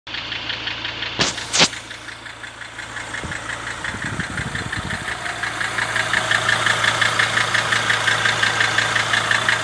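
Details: Mercedes W209 CLK 270 2.7 CDI diesel at idle, about 3000 km after near-overhaul (rings, bearing shells, honed scored cylinders), initially quieter: sharp regular knock about three per second over the engine note; engine knock at idle.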